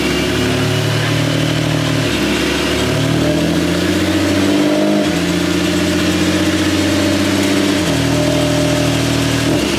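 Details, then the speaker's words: Ford Falcon after the repair: with the brakes bled and the speedo apparently working, the engine note climbs then drops cleanly as the automatic upshifts smoothly through its gears, no longer stuck in 3rd; healthy drive, no slipping or flare. "It looked like the speedo was working. The brakes are fine and it changes gears."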